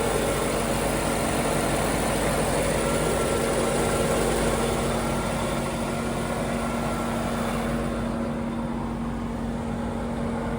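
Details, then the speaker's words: Engine-bay mic close to the belts on a 52K km 1994 Chevrolet Corvette (6-speed manual) with a 5.7 L LT1 V8 at idle. Smooth, even low idle with a steady belt whir and no ticks, squeal or misses. A healthy V8. "So a healthy sounding 5.7 liter V8 LT1 engine."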